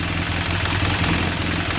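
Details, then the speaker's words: BMW F800 parallel twin at idle with deflated or misadjusted cam chain tensioner: fast light clatter riding on the idle, slack cam chain rattle, cured by setting the mechanical tensioner adjuster while running. "okay so this is what a deflated cam chain tensioner will normally sound like so the society also if you don't have that your adjuster set correctly this is the noise that you will hear as well"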